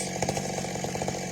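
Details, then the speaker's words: Old McCulloch Super Pro 70 chainsaw, modified beyond stock, which previously ran all over the place: now a steady, buzzy two-stroke drone holding even speed without surging or dropping out. Runs smoothly after the changes. "i'm excited about it it was bothering me because it was all over the place listen to it tin man very nice job straight goods"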